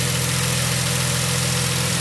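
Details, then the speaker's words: Chrysler Pentastar engine at idle after driver-side lifter, rocker arm and valve repair: light fast ticking from passenger side, milder than driver side was; passenger lifters and rocker arms to be replaced next; valvetrain ticking at idle. "You got some more ticking on the passenger side. I don't know if you can hear it in the video. I hear it."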